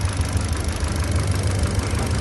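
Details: Kia Picanto 2014 idling with fault codes (intake cam position P0011, bank 1 sensor 1 oxygen sensor circuit): low, uneven lumpy idle; cylinder checks show weak response, one plug/cylinder not firing.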